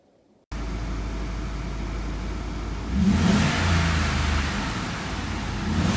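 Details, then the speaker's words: Audi RS6 C5 4.2 V8 biturbo after exhaust system repair with engine out and leaks fixed: deep smooth idle, clean rev rise and settle, no droning; the resonance noise at certain rpm is gone. "Et sellel kadus see hääl ära, mis teatud pöördega tekkis, see resonantsi hääl."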